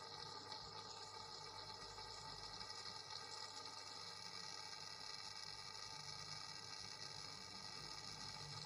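Steady, even buzz with a high, hissy edge that never changes over nine seconds; something in the wall buzzing, source unknown.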